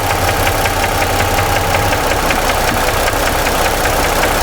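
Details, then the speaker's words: 2017 Ford F-150 3.5 V6 with new phasers and timing chains already fitted, idling: a sharp ticking internal knock that doubles when the cylinder 2 coil is unplugged but not others; source still being diagnosed. "The sound changed. I don't know if you guys can hear that. It doubled. I got a double knocking sound when I unplugged 2."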